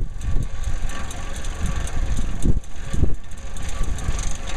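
A low rumbling roar with light, quick rattling ticks through it sounds like a spinning roof vent on dry, loose bearings.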